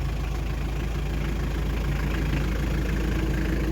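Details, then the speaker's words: Hyundai Terracan 2.5 diesel D4BH after reassembly: steady, even diesel idle clatter with no extra knock, knock gone; normal idle. "Ну вот всё работает, всё нормально, ровненько."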